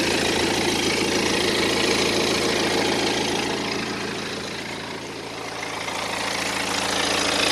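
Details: 2010 BMW 118d E87 N47 diesel, 178,000 km, steady idle with even fast rattle three to four per second over clatter; suspected timing chain, but on teardown chains were fine, source unconfirmed: idle rattle.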